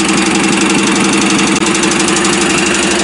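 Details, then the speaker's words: Custom lawnmower racer "The General", freshly finished and no longer backfiring: small single-cylinder engine idling at a steady, even pulse with no misses or knocks, though owner suspects a little dirt still in the carburetor; normal idle. "listen to it just sit there and idle d this thing is too cool"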